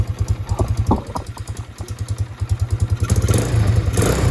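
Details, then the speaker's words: Carbureted motorcycle first started after sitting for months, some smoke from debris on engine: slow lumpy idle of about three uneven pops a second, near stalling; idle speed too low, needs setting up. "So I'm going to set the idle, because the idle's real low."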